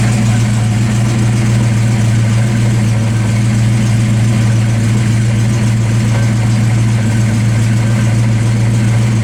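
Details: Fox Body 5.0 Mustang after accident, fuel pump inertia switch reset: steady, deep, even V8 idle with no misses, knocks or ticks; normal idle.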